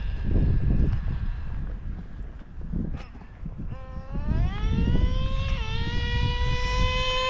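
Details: O.S. 21 TM nitro engine in a used Traxxas Revo: revs climb fast into a thin high scream held near the top; high-speed needle lean, richened one to two hours.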